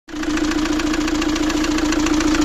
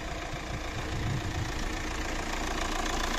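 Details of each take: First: Fiat Doblo 1.9 JTD diesel (Opel Z19DT 1.9 CDTI) at idle: a fast, regular metallic knock over a steady hum. Endoscopy shows scuffing and a likely valve imprint on the cylinder 1 piston, and the engine needs an overhaul. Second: Fiat Doblo 1.9 JTD (Opel Z19DT 1.9 CDTI) diesel after complete engine overhaul for knocking, warming up: even idle with light, steady injector clatter and no heavy knock; engine now sounds healthy.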